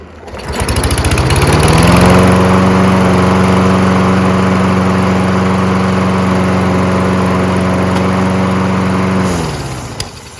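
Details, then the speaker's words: Toro Recycler mower with Kohler XT675 engine that previously started then stalled after about 5 seconds; after carburetor clean and clearing the main jet it starts on the first pull and runs steadily with no surging before shutting off cleanly. "That's all it was. Needed a carburetor clean. Main jet needed to be cleaned out."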